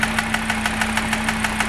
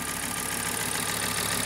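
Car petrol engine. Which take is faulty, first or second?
first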